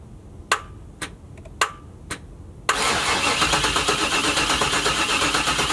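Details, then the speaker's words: 1996 Chevrolet Camaro Z28 non-runner on a jump pack: a few sharp clicks, then steady even cranking that never catches; engine not seized, suspected no fuel from a fuel pump not turning on, not confirmed. "It's not firing. It's telling me that there's no fuel probably, so we can see if it'll hit with a little sniff of starting fluid."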